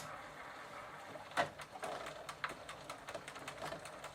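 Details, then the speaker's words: Sturmey-Archer AB 3-speed internal gear hub, soaked with WD-40 to soften old lithium grease, turning on the bench in third gear position: light, rapid clicking of the pawls engaging normally. "and now i can hear some of the falls making a clicking sound"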